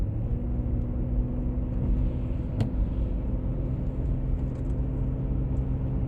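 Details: 1996 BMW E39 523i automatic (pre-facelift): deep steady drone under road rumble while cruising, heard at 50–60 and 70–80 km/h, holding constant; source not pinned down.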